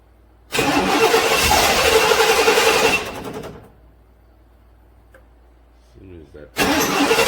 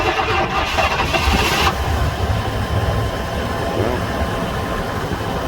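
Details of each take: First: 1997 GM truck (Chevy Silverado) 5.7 Vortec 350 V8, cold no-start, towed in (starts when block heaters warm it): quick, even cranking in two bursts, about four compressions a second, never catching; low fuel pressure, failing fuel pump suspected, regulator not ruled out. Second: 1997 GM truck with 5.7 Vortec V8, towed in for a no-start-cold condition from low fuel pressure, after fuel pump replacement. Cold start at minus four in wind and snow: brief crank, prompt firing, smooth steady idle. A healthy cold start.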